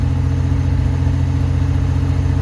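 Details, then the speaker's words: 1985 Pontiac Fiero GT 2.8 V6, rear engine, after replacing rust-damaged ignition control module with a spare (no-start, no codes): steady even low rumble without misses or knocks; normal idle. "this is not the original by the way luckily I had a spare but yeah it's running again"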